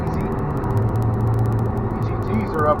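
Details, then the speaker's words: After replacing the failed turbo with a KC Turbos Stock Plus unit (no back pressure valve), a 2000 Ford F250 7.3 Powerstroke diesel holds a deep, steady drone under load with no surging, rattling or scraping. It makes about 28–30 psi boost; turbo spool is normal. "that's about 28 pounds 30 pounds of boost definitely got boost sure 20 pounds is easy"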